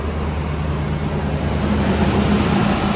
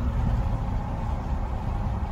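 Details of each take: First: 2010 Silverado 2500 6.0L V8 after fixing a broken engine-harness wire, thought to feed a whole bank of coils, that caused misfires. The idle is now smooth and even with no skipping, running on all eight cylinders; the harness still needs more work. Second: 2010 Silverado 2500, 6.0L V8, began misfiring while towing a camper; scan tool read about 8,300 rpm. Deep lumpy idle with uneven thumps, traced to chafed wiring feeding a coil bank: misfire from damaged coil wiring.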